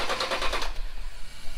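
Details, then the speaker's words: 2005 Tacoma 4x4 with swapped 5.7L Tundra 3UR-FE V8, start attempt after key and immobilizer programming: short quick even cranking pulses then low rumble, no firing. Cranks but won't start; doesn't seem to be getting fuel, rollover/inertia fuel cut switch suspected, not confirmed. "okay I don't think it's hitting fuel yeah I bet jet has a rollover sensor the trip will probably to find it and then reset it"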